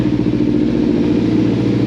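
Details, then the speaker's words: 2014 Kawasaki Ninja 300 twin, sat about 8 months with dead battery, just started after first start: steady even idle, smooth low thrum, no knocks, misses or rattles; runs healthy. "oh yeah baby all right boom now we know it runs"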